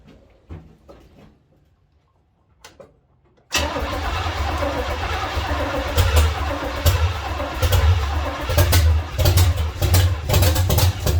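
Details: 1970 Chevy C10 small-block V8 with new parts, carburetor bowl filled with gas so the timing can be adjusted: heavy, uneven cranking with lumpy chugs that catch and fade without running; owner thinks he flooded it.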